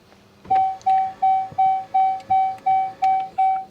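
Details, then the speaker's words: Dodge Charger after dead 12-volt battery was charged, red charging error shown: steady mid-pitched chime repeating nearly three times a second on start attempt; car doesn't start or go into gear, Uconnect box requires service message. Repeated warning chime on failed start. "Will it run? Well, hold on. I didn't hear it start. It didn't start."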